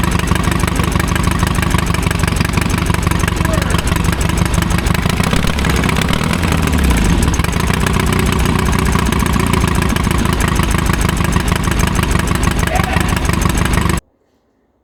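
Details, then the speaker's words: 1972 Triumph Bonneville 650 twin that sat roughly ten years; a heavy, lumpy, limping low thump at idle with one side not firing after the choke went the wrong way. Its plugs were pretty black and new B8ES plugs were to be fitted. "Only this side. This side's not firing."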